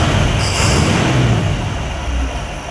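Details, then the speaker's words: 1959 El Camino V8 that had a steady miss cruising, after swapping in a rebuilt carburetor and Pertronix ignition giving 12 volts to the coil (previously weak spark): deep, steady low rumble, even with no misses or stumbles; runs smoothly. "That thing runs super good. Yeah, I think that probably solved your problem."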